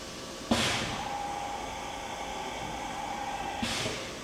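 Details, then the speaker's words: Milltronics RH30 vertical machining center with a 40-taper spindle, doing an automatic tool change. A sharp clack, a steady hiss with a faint tone for about three seconds, then another clack; a clean, normal tool change. "Doing a tool change."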